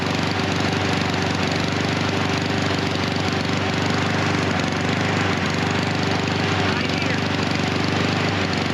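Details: Husqvarna HU 700F mower with auto choke: running great when the choke lever is pulled off, but the choke slips back on. The engine chugs unevenly at a steady speed with a wavering, stumbling beat, running rich with the automatic choke stuck on.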